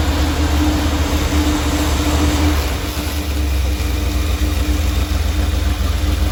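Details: 1977 Dodge Ramcharger 440 V8 first started cold: a deep idle with an uneven, stumbling beat. The 100 amp alternator is charging and oil pressure is good. The owner thinks it needs warming up.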